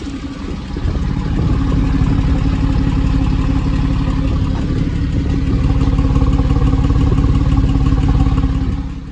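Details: Porsche 911 996 C4S flat-six on cold start after long standing in cold weather: light, steady tick about three a second over low rumble, clears once warm; owner suspects noisy lifter/tappet, unconfirmed.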